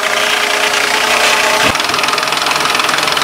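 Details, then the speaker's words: Engine idling after running just over three minutes, before a rev to 3000 rpm to purge air: light rapid ticking from a hydraulic lifter that still has trapped air. "I got to go rev it up to 3000 rpm for a few seconds to hopefully first the rest of the air out of there can you can still hear the clicking in there"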